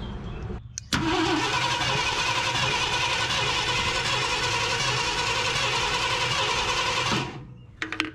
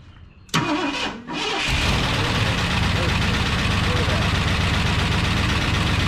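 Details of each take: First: 1972 Ford F250 Ranger XLT Camper Special cranking on its mechanical fuel pump, primed both ways: starter spins steadily about six seconds with no catch; no fuel delivery, crank no start. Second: 1972 Ford F250 Ranger XLT Camper Special, first start after sitting, coil hot-wired: starter catches in half a second, fires and settles into a steady, even, clean idle; pretty quiet, sounds pretty good.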